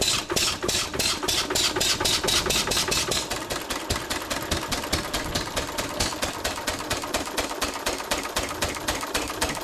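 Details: 1923 3.5 hp Emu (rebadged Hercules) stationary engine, restored early 1980s, first start after 20+ years unused: even, sharp firing beats about four per second, steady and unbroken; running healthy.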